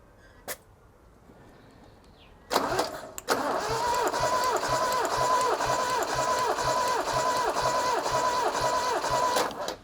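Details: RA28 Fastback Celica during a cold compression test with plugs out: starter spins the engine at about two even pulses per second, a steady healthy crank; cylinders read about 175 and just under 170.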